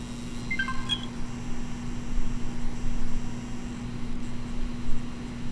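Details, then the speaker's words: Xbox One X bought as eBay junk that made a noise when plugged in. A few short beeps, then a steady low buzz at one pitch. The power supply is suspected as the source, not confirmed. "yeah I think that's what that noise is fairly certain the power supply is not supposed to sound like that"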